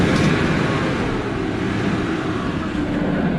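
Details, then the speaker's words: BMW E39 540i on the test drive after a whole driveshaft replacement, done because the driveshaft bearing was leaking: steady, even road and drivetrain hum with no clunks, whirring or shudder, running smooth. "Sound like it's back? Yeah. Yeah, that one good. That sounds smooth."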